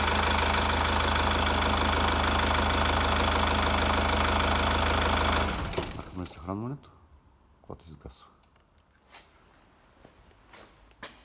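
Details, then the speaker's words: Mazda Premacy 2000, 2.0 diesel, after a crank-no-start was fixed by bypassing the faulty overheated fuel pump relay through fuse 20: even, smooth idle with a steady beat and no misses for about five seconds. It idles normally. "Let's try to start the car! It is starting!"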